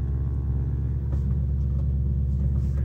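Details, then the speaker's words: Infiniti M56 V8 with sport muffler, just started, in cabin with everything else off: deep constant drone and buzz at idle; active noise cancellation feeding buzz through the speakers. "you might think that you're hearing a buzzing noise and you would be right there is a buzzing noise in here"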